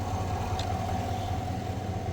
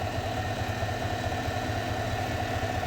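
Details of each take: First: 2020-2021 Chevrolet Silverado at idle after replacing idler pulley and serpentine belt, heard through a funnel at the idler pulley bolt: steady, even idle hum with no whine or chirp; normal idle, quiet idler pulley. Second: 2021 Chevrolet Silverado idling, heard through a funnel on a screwdriver touched to the idler pulley bolt; whine louder with revs, power steering pump first suspected: steady high whine over even idle growing louder, idler pulley bearing whine.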